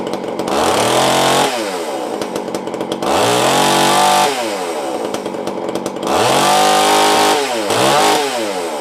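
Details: Tanaka ECS-650 two-stroke chainsaw after fixing stalling from a vacuum leak, resecured with blue Loctite and tuned: fires up, revs hard three times, returns to steady burbling idle; runs clean.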